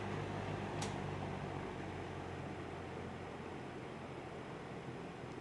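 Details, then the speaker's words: 1950s Monarch-Aire box fan model ML20M, 2.7 amp motor, on low speed: steady airflow rush with faint quick rattle; grille first suspected, later thought something inside fan, present since acquired. "you hear it does rattle a little i think that's the grill rattling"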